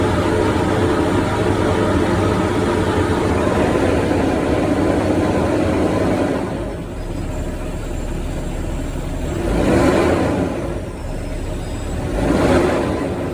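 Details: Diesel truck after replacing the exhaust gas pressure sensor (EGR valve position/sensor supply circuit codes), no faults: smooth steady idle, then two clean throttle blips that rise and fall evenly with no knock or miss; running normally.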